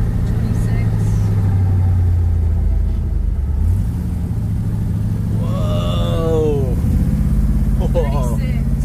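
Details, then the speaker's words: Rebuilt 1967 Pontiac Tempest with 6-liter engine driving up a steep hill under load, timing around 36 degrees: deep even drone, no knock; oil pressure, temperature, AFRs and ignition timing good. "it's not knocking that's not making any noises from the engine pressure we're at a good temp afrs are looking good and our ignition timing is good"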